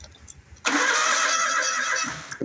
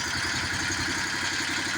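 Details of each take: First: Bobcat zero-turn mower with the wire reconnected; starter cranks steadily about one and a half seconds with no firing; crank no start, no spark. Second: Bobcat zero-turn mower small engine, which had cranked with no spark, runs at a steady, even clatter with no misses or surges once a jumper wire bypasses the seat switch; normal running.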